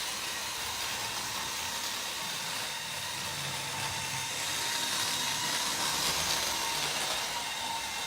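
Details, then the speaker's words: Roughly 40-year-old Hornby Class 37 model locomotive: a thin, steady high squeal over the motor's hiss persists after lubricating the axles and motor bogie centre piece and running about half an hour; cause still under investigation. "It's still as you can hear, making the noise. So I think we're going to need to do a little bit more investigation about what it is that is causing it."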